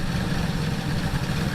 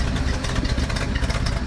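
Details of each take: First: 1976 Ford Ranchero 500 V8 after carburettor spacer fix for a vacuum leak, vacuum advance hooked up, timing 15° initial to 40° total: deep steady lopey idle, normal, no misses. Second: 1976 Ford Ranchero 500 V8 at lumpy idle, heard from under the car. The exhaust pipe joint, patched with 4-inch band clamps, still leaks, giving a sharp puffing tick on each firing pulse. Exhaust leak; tuning and timing still to be done.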